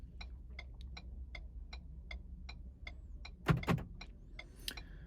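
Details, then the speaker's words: Ford/Lincoln while programming one smart key, with the key placed on the programming slot: quick, evenly spaced sharp clicks about three per second over a low hum, then louder clunks. The door locks are cycling normally and programming succeeds. "you could hear the lock cycling. Program success."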